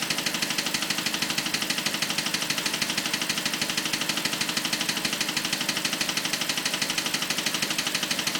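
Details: BMW 545 at idle: fast, very even ticking, about three clicks a second over a steady idle; clear mechanical clicking, source not yet found.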